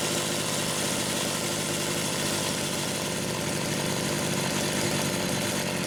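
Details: Homelite Super XL test run after carburetor repair: busy even two-stroke rattle holding steady pitch, no stumbling or surging; saw idles cleanly.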